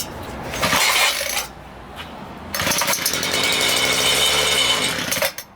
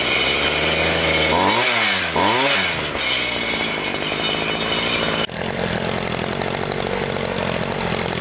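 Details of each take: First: Homelite 26cc two-stroke mini tiller, stored outdoors for years, gummed carburetor: running only on cleaner left in the carburetor with fuel line disconnected, it buzzes briefly, fires for about three seconds, then cuts out abruptly from fuel starvation. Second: Homelite 26cc two-stroke mini tiller after carburetor cleaning, tank cleaned of gum and refilled with fresh fuel: blipped a couple of times, then holds a steady high buzzing run without stumbling; runs healthy.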